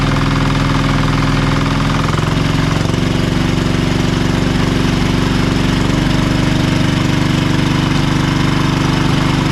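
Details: Marketplace diesel generator, test run after repairs: steady, even chug with firm low rumble, no knocks or misses; engine runs well though the generator still makes no power output.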